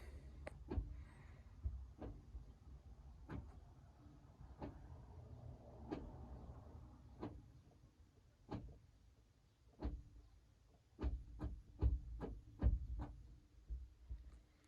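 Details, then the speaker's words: Citroen C4 gearbox actuator, engine off with ignition on, during transmission programming with Autel Maxisys MS908S Pro (codes P1800, P0949): sharp clicks and clunks in irregular bursts as the actuator selects gears by itself; normal actuator operation. "okay that's fine as you can hear it's selecting the gears itself on here is just kind of doing its"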